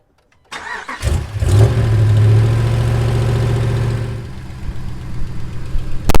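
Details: 2015 5.7L HEMI truck after water pump replacement (new pump, 180-degree thermostat, coolant refilled), started to check for leaks: short crank, catches quickly, smooth even idle with steady low rumble; engine running normally.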